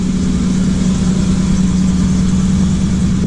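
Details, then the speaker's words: 1985 Chevy Blue Bird pickup, 366 gas V8, started instantly on choke, set at about 1200 rpm fast idle warming up before a trip, fluids good; smooth, even rumble with no ticks, knocks or misfires, normal warm-up idle. "Again, got a 366 gas in it. She sounds good. Fluids are all good. Warm it up, and we're gonna roll out."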